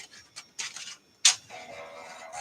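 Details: Dell 486 DX2/66 with 24 MB RAM, discarded unit, floppy drive reading a boot diskette: short bursts of buzzing head steps and chatter over a steady motor hum; drive reads normally.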